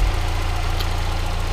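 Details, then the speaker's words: Mazda Miata after curing a rough idle: a vacuum leak from a capped-off crankcase vent tube fitted with a filter was plugged; now a steady, even low idle with a smooth rumble and no misfire, running perfectly fine. "so I had to plug that up and so now it's just running perfectly fine"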